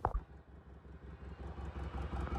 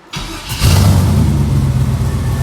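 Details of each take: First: 1989 Mustang with LS swap on its first drive, sitting in the driveway approach: low, uneven chugging pulses with a sharp puffing tick on each beat that grows with revs. Owner says a big exhaust leak right there. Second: LS-swapped 1989 Fox Body Mustang, after charging a battery drained by a suspected parasitic draw: brief crank, V8 catches at once and settles into a steady, even idle with no stumble or misfire.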